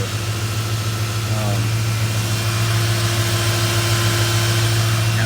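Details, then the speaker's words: 1996 Ford Ranger with a 5.0 V8 swap, just converted from automatic to a 5-speed manual: a steady V8 idle with a light clicking rattle that comes and goes. Cause unclear; owner suspects the clutch springs. "It has a little bit of a rattle. I'm not too sure what it is. It sounds like maybe the spring's in the clutch or something, but that's easy enough to change out. So if you guys can hear that little clicking, but it'll do it and then it'll stop."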